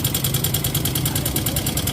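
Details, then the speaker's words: Yamaha Mio M3 125 scooter, hard to start, kick-started, idling roughly with fast even metallic ticking over a low uneven rumble; noise not from CVT, first check the automatic cam chain tensioner. "Nah untuk suara mesin yang seperti ini itu bukan berasal dari bagian Sipi atau bagian sambelnya guys"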